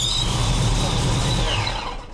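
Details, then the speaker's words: Ford Foxbody on cold start: high, steady squeal over the engine that fades as it settles, confirmed by ear as coming from the supercharger blower belt rather than the alternator; blower belt to be removed. "It is absolutely coming from the blower. So now your job is to take the blower belt off."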